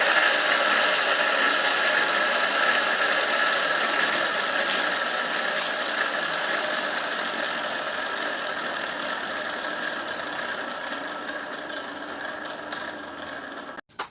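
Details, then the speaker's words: Electric water pump motor that had hummed without turning, after sanding and bearing replacement, plugged in: smooth steady whir that gradually eases off with no stalled buzzing; it now spins freely and runs normally. "dinamo pompa air berfungsi dengan baik"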